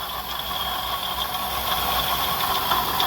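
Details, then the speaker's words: Jeep Grand Cherokee that came in for no crank, no start, now running. Steady run with a constant high whirring and light irregular ticking from the front. The water pump is visibly wobbling: worn water pump bearing. "all right guys so now that i have it running guys i'm hearing some noise let's see um exactly what this noise is under here"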